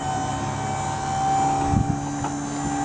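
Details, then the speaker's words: Maxon GPT4 4000 lb tuck-away truck liftgate folding up: steady electric pump hum and constant whine, slight bump near the top; normal lift. "Again, listen to the hydraulics. When you hear it get up to the top, you hear a little bit of strain or squeaking. You want to stop."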